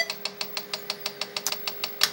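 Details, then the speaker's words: Tandy 1000 SX's ST-250R hard drive powered up, also with controller cables removed: sharp regular ticks six or seven a second over motor hum, heads failing to seek; suspected trying to reach track below zero, unconfirmed. "so it sounds like the hard drive is trying to get to like track negative one or something like that"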